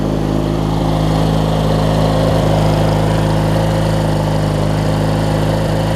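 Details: Craftsman LT1000 rider, opposed-twin engine, deck engaged and strapped for viewing: even, steady low drone with no knocking, slapping or squeal. Mower and deck run normally; the deck belt is shedding small shards.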